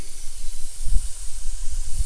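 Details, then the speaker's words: 1954 Caterpillar No. 6 shovel/track loader diesel, first run after 15+ years in a barn: constant high-pitched steam-like hiss over low uneven rumble from the radiator; owner thinks it is running hot and low on coolant, temperature gauge not working. "So that's the hissing. I think we're just running her hot."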